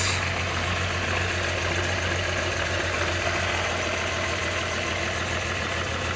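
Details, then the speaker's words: VR6 12v first start after oil cooler, crack pipe, thermostat, radiator and intake gasket maintenance: uneven, stumbling idle with an irregular lope from misfire. Coil pack wires for cylinders 1, 3 and 5 were misplaced; once corrected, it idled fine. "Sounds like it's misfiring. Nothing dripping."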